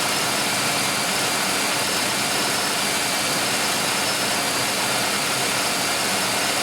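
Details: 1995 Oldsmobile 3800 with 138,000 miles, first start after timing chain and timing cover leak service with fresh oil and coolant, cooling system still bleeding: steady, even hiss and hum, no knocks or misses, smooth idle; normal idle.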